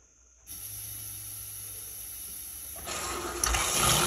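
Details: Used 12 V Flojet on-demand RV pump (3.2 gpm) running off solar for a rain catchment sink, with the outlet valve opened: a steady high buzz with light pulsing and rushing water. The pump runs normally and builds pressure.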